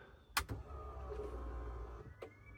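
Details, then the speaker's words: BMW E36 after crank-no-start troubleshooting, headers only, no exhaust: steady low electric hum for about two seconds after key-on, then cuts off, no fuel leak; fuel pump priming normally. "Hell yeah. So, that sounds like it's working. We are basically ready to start."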